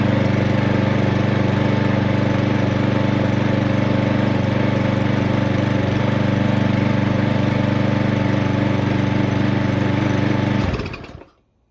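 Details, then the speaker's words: 2007 Parkside lawn mower from the dump, reassembled and run with air filter off: steady, even single-cylinder beat at constant pitch, no misses, then cuts out cleanly; worth repairing; normal running. "I'd call that worth repairing then."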